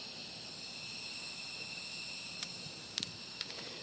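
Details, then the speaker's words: Harbor Freight air blow gun leaking during carburetor reassembly on a 2015 Yard Machines mower: steady high, thin hiss beneath light handling clicks; compressed air leak. "air gun is leaking my Harbor Freight air gun you can hear that air leak in the background"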